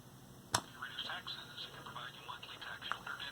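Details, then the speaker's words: Late-1960s ICT solid-state 10-transistor AM radio, previously very quiet and tinny with the power switch not disconnecting, after repair: clear voice through the speaker at a steady level with faint hiss, already much louder at minimum volume; normal audio output. "already the volume is much louder even with the control at minimum very cool"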